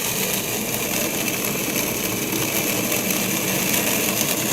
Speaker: we can also see some bubbles here at the squirrel casing of the pump cavitation is very destructive especially upon metal surfaces